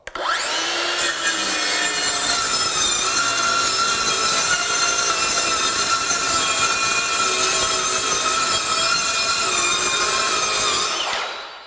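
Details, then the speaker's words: Craftsman V20 brushless 7-1/4" circular saw CMCS550B on a battery showing low bars, ripping a single sheet of 1/2" OSB: spins up fast, holds a steady high whine through the rip without bogging, then winds down; cuts easily. "Now we have some 1/2 inch OSB here, single sheet. We're just going to adjust this saw up so that we're cutting correctly. We'll just rip across this and see how fast it goes."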